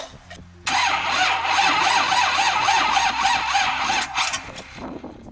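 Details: Rusty Chevy Malibu stranded roadside after doing donuts, being tried with a jump box: fast starter churning for about three seconds with no catch or firing, then it drops off; cranks but won't start, cause unknown.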